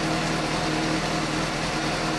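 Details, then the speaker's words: 2015 Suzuki GSX-S750 right after replacing spark plugs with OEM NGK CR9EIA-9 at the 7,500-mile interval: smooth, even idle with a steady high-pitched hum, no misses or ticks, noticeably smoother than before; normal idle. "oh there really does sound smoother I like it yes noticeably a little more"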